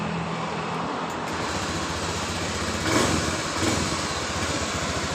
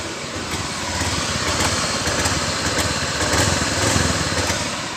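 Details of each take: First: Honda Beat Pop injection scooter that sputters and loses power when the throttle is opened, after an emergency fuel pump fix raising pressure to about 20–40 PSI: steady even idle, no stumbling, outdoor traffic; engine running normally. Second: Honda Beat Pop scooter: starts and idles normally but surges and stumbles with lost power when throttle opens; low fuel pump pressure suspected. Hesitation from low fuel pressure.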